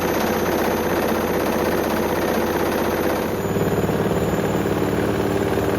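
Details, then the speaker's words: Hoover Link HL1682D3 washing machine, badly damaged, door seal twisted, run on spin: fast loose rattling and banging over a steady drum roar, dented cabinet shaking hard against the drum, extremely loud; still works. "I think we get the message it works that's Extremely Loud honestly I was he's quite insane um I could barely hear the mic I could just hear the whole machine just rattling"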